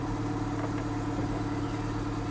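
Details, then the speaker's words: VW Golf, 7461 miles, sat six to seven years on possibly stale fuel, flat battery, just started; steady, even idle with a smooth low hum and no knocks, misses or rattles; running sweetly. "well that straight away sounds as sweet as they're not"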